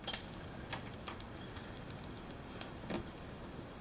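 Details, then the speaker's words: 3D pen extruding on a rainy day: irregular sharp little pops and ticks over a quiet room. User suspects moisture. "It's popping. It's got some. There's definitely moisture in the air."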